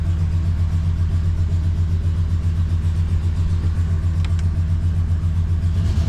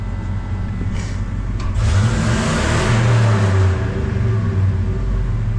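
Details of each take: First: Ford 5.4 V8 truck just after engine repair, check engine light on: idles with uneven lumpy pulse and wavering speed; owner suspects air in the fuel system, not confirmed. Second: Ford 5.4 V8 truck after repair and clearing check engine light with OBD2 reader: deep throaty revs rising and falling smoothly with no hesitation, misses or knocks; healthy.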